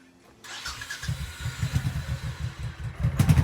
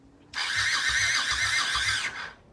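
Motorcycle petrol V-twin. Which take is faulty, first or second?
first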